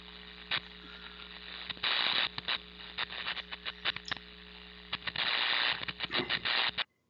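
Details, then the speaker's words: Arcing inside an electrical panel: irregular crackling, sizzling bursts over a steady hum, the final stage of electrical failure; shut down immediately and don't open the panel. "if you hear arcing that's critical I mean you would shut down immediately you wouldn't even drink it like open this panel at all it's just far too dangerous and arcing sounds like this"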